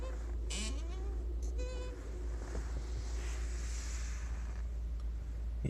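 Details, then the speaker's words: Six-month-old Lada Vesta 1.6 (106 hp), VAZ gearbox, about 6,700 km: short rising-and-falling squeaks each time the clutch pedal moves, over low engine hum; began a month ago, dealer silicone spray didn't fix. "машине полгода скрип педали сцепления проявился где-то месяц назад давайте послушаем"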